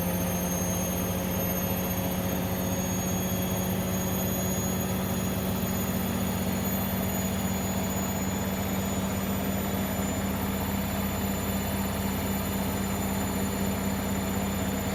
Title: Hoover washing machine whine noise